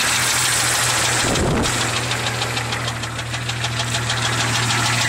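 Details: 1996 Jeep Cherokee XJ 4.0L inline-six, 200k miles, idling with a sharp regular knock about three a second; louder on revving, loudest at rear driver side, worsened after adding Valve Medic and Lucas oil stabilizer; mechanics ruled out exhaust leak.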